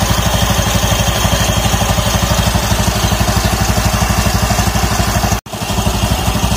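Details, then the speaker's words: Automatic scooter after a noisy roller housing was found and the used CVT rollers reinstalled, running with the CVT cover off: steady idle with even, regular pulse, no rattle or slapping from the open drive; normal CVT operation. "Semuanya oke, berfungsi dengan baik."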